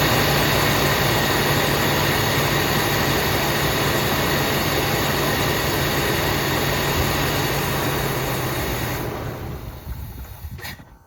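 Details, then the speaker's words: 1979 Buick Limited with a Buick 350 V8, revived after long storage on a new fuel pump with some two-stroke gas in the fuel: steady but slightly uneven idle, smoking a little, before shutting off. Rough idle after storage. "got a lot of stuff around here but she's odling got a little two-stroke gas in it smoking a little bit"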